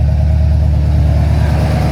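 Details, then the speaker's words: Ford Falcon XC GXL's restored 351 V8 in warm-up, thermostat just opened: a deep, steady, slightly lumpy rumble at a high idle. The choke is too rich. "thermostat open right so that choke is too rich let me just back that off mic"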